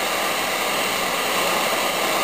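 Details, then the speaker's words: Zenith Trans-Oceanic Royal 3000-1, a 12-transistor solid-state portable from about 1965: a flat steady hiss at full volume with no station on AM, shortwave or longwave. Receiver picks up nothing. "it's like there's no tun there um the same with all of the other shortwave bands here's longwave nothing"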